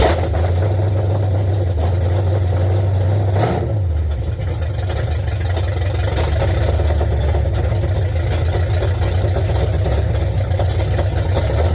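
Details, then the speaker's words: 1972 Ford F100 V8, first start after sitting in a field, open headers, carbureted, bad old gas: loud, deep, uneven rumble with a blip, some smoke, won't shut off with the key; owner blames bad gas and plans to clean the carburetor. "Got some It It didn't look like Hey, open headers. That's fun. Sounds good."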